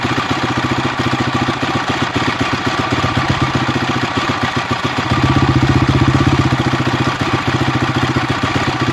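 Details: Honda CRF250X single-cylinder engine at idle: an uneven, fast mechanical clatter ticks along with the idle, a strange noise of unclear cause.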